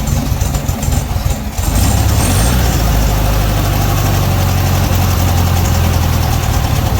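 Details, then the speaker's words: 1968 VW Beetle started during a points tune-up: the engine catches, then runs unevenly with irregular stumbles. A short wire had slid loose. "Something's not right there, guys."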